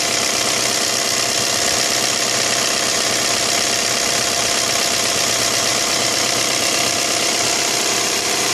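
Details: Isuzu 4BC2 diesel after injection pump calibration to cure hard starting: harsh, hissy diesel clatter ticking evenly at about three per second; steady idle with no misses, normal.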